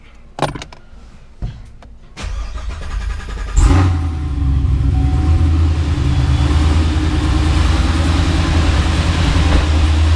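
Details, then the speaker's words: Chevrolet Camaro with ProCharger supercharger; no-start blamed on a heat-baked starter (suspected, not certain), ProCharger not the problem: clicks, then clean start and steady deep smooth idle. "But yeah, the ProCharger was not the problem. So car runs great."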